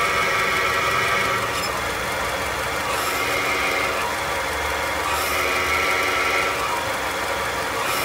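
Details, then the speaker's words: Clutch release bearing (collarín) on a Nissan NP300 pickup, recorded under the transmission bell housing: dry metallic whirring rasp at idle with the clutch pedal pressed, stopping when released; bearing balls have lost their special grease, worn release bearing. "el collarín cuando está malo empieza a sonar es un balero que dentro lleva pequeños balines estos balines son engrasados con una grasa especial"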